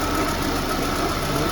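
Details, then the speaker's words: VAZ 2110 after repair on petrol: air leaks fixed and throttle position sensor wiring resoldered; warm engine idles with a smooth, even hum, no stumble or knock, fan working. Normal idle. "На бензинчику сделали. На бензинчику работає хорошо."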